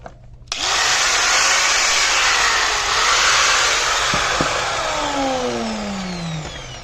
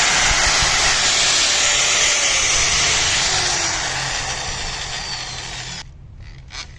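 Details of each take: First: 4-inch angle grinder after carbon brush replacement: spins up sharply to a smooth, steady high whine with no crackle or sputter, then coasts down evenly; fault was only the carbon brushes, now running fine. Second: 4-inch angle grinder with dry, ungreased gears in the head, which probably also runs hot in long use: a high, raspy gear whine over the motor that fades as it spins down; dry gearbox gear noise.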